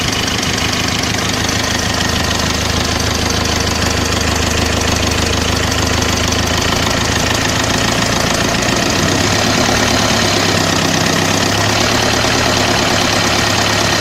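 Diesel idling with a hard, steady knock of roughly three raps a second riding on the clatter. Knock source not pinned down.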